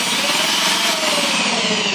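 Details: Electric drill that would not run, after fitting carbon brushes: steady high whir, even tone, rasping bite into wood with speed holding under load; repaired, running normally.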